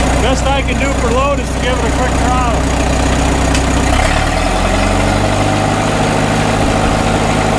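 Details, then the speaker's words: 1936 Caterpillar Twenty-Two tractor, first run after sitting for years and magneto fix, carburetor unadjusted: steady, even low thump at idle, no stumble or misfire, then engine note drops; normal idle. "We can listen to it run, though. I don't even think we have to adjust that carburetor. No, it sounds good."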